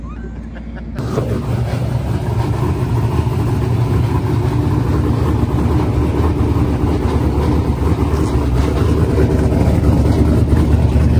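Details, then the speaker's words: Silver Z06 with LS engine, six-point cage, stock suspension and tailpipes dumped at the diff, on its first full pass in eight months: a loud, deep full-throttle pull with pitch climbing steadily, no stumble or misfire; a normal, strong run. "all right so we just made our first full pass in the car in literally like eight months which it felt pretty good the car is very fast for what it's got"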